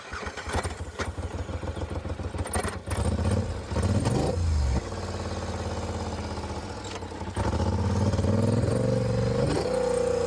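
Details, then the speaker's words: Polaris Sportsman ATV (stated as 850 and 570) cranks and runs with an uneven stumbling misfire as revs rise and fall; fixed with new spark plugs and wires. "Mhm. Definitely got a little misfire. Seems like when you put it in high range it's going to shut off."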